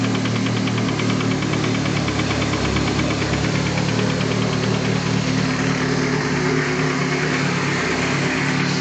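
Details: Nissan SR20DET engine, installed and knocking the next day at idle: quick, uneven deep metallic knock; bottom-end wear suspected, not confirmed.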